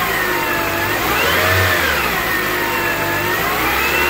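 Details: 2005 Honda CR-V before transmission repair: engine starts and revs, thin whine rising and falling with speed over the engine note; automatic transmission whine, later fixed.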